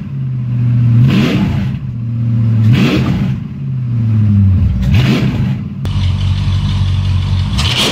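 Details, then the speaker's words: Mercedes E55 V8 after engine rebuild, first start, no catalytic converter and exhaust cut short, no radiator, temperature nearing 90 degrees: deep loud rumble with repeated throttle blips about every 1.5 s, rising and settling cleanly; strong, even running. "you guys are wondering what I need 55 engine sounds like without the park converter and the old exhaust well there you go"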